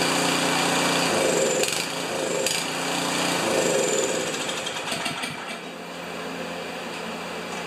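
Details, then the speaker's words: Craftsman 824 snowblower, 205 cc 7 hp engine that won't start or stay running, on electric starter: engine catches, runs rough a few seconds, then fades as bowl fuel burns off; classic clogged carburetor. "That's a classic clogged carburetor it fired up it burnt the gas in the emulsion tube and quit and then it'll gradually soak through again and in five minutes it'll run for another five seconds"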